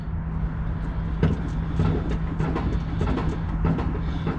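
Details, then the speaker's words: Dodge ProMaster van on the ground, rocked by an assistant to simulate bumps after the sway bar link was replaced: only light irregular ladder-rack rattles over a low hum, no heavy clunk, and no play left in the link. "so the only thing we can hear now is uh the ladder rack on top of the roof uh we also don't have any play on this end of the sway bar link anymore"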